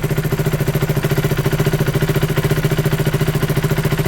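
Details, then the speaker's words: KTM single-cylinder motorcycle refitted with its original exhaust, replacing an aftermarket side can. A steady idle of about 3.5 pulses a second with a deep thump and no puffing, ticking or rattle; it drives much nicer. Normal idle. "But yeah, we're good, it's back. Again, it just drove so much nicer. Sounds great."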